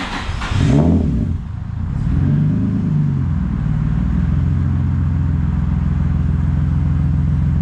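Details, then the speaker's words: Turbo VQ35 S13 240 with Link ECU and newly fitted full exhaust: a couple of revs settle into a steady low burble with no puffing or ticking; the V-band joint is not leaking. "Make sure there's no leaks. Yeah, sounds good. V-band is not leaking."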